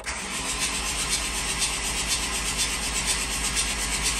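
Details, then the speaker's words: Swapped-in 1.9 TDI PD130 ASZ engine (replacing failed BLS PD105) in 2008 VW Caddy, first crank with injectors disconnected and glow plugs removed to prime oil: fast even starter whir, steady swish, no firing, normal cranking. "I have disconnected the fuel injection system uh so I'm going to leave those open and now we're going to turn it over"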